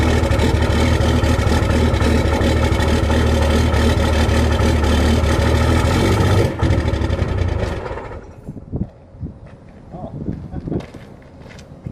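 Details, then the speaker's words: Cummins diesel cold start in freezing weather with grid heaters disconnected, camera at rear of truck: loud, uneven, lumpy clatter for several seconds, then the noise drops away; rough cold-start idle. "I should have put the log on so I could see what it was actually doing. Well, I kind of know what it was doing anyways, but it's definitely not happy with that."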